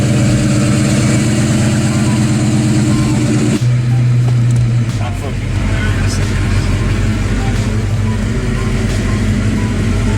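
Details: Ford Fox Body Mustang 302 V8 after GT40 heads, intake and B303 cam swap: deep, choppy lope at idle with a throttle blip and even firing; different than before, big-cam V8 running properly.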